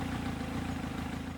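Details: Kawasaki ZX7R, engine warm at operating temperature, just after balancing the carb pairs with 1 and 2 butterflies closed down to match 3 and 4: even, steady idle with smooth rapid pulse, no hunting; shortly after, coolant bubbles suggested an air pocket.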